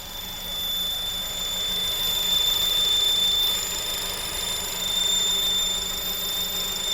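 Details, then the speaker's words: Honda Civic Type R with piercing steady high-pitched squeal over running engine, started at Modnats; suspected worn second-hand auxiliary belt idler pulley (highest pulley near intake manifold), not fully diagnosed, being replaced. "So when I was at Modnats, it started doing a really high-pitched squealing noise."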